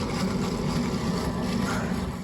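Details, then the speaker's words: Gas boiler running at high fire, heard at the flue. Low, bubbling rumble with an uneven wet gurgle as water trapped in the flue spits out; firing cuts out intermittently. "and it sounds awful like there's water in this flu"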